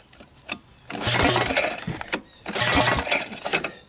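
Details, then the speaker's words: 2001 Honda Recon 250 ATV with very low compression and a reportedly rebuilt top end: small single runs with a thin, tinny top-end rattle swelling with throttle. Owner suspects it may need a new head; not confirmed. "I'm not liking that rattle up on top let me know what you guys think's wrong with it"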